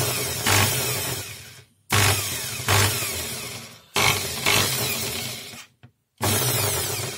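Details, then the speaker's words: Corded PROTON screwdriver with case open, motor run in short bursts: harsh uneven buzzing rattle over the whine; rotor bearing is loose in its seat and the shaft turns with the outer race. "вот первых вот этот подшипник не крутится да он тут свободно телепается смотрите вот так и поэтому вал вал крутится вместе с внешней обоймы подшипника"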